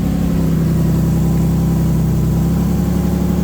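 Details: 2004 Nissan 350Z 6-speed manual (CD002), after throwout bearing and sleeve replacement: steady, even idle with smooth low rumble, no grinding or chirp with clutch pedal held down; sounds healthy.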